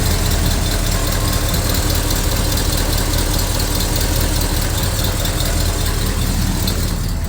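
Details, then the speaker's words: 1971 Chevy C20 Custom 4x4 truck at idle during an appraisal: steady, even V8 burble with low rumble, no clear knock or tick; oil pressure coming up good, a possible slight exhaust leak muttering on one side; sounds healthy. "sounds pretty good, doesn't it?"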